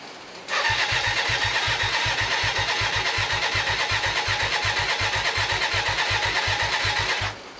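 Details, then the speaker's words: Hyosung GT125RC first start after two years standing, carbs ultrasonically cleaned and wiring modified, with a little choke and possible flooding: steady starter cranking about two and a half pulses per second for seven seconds, never firing. "let's give a little bit of Choke doesn't look good does it nothing's happening"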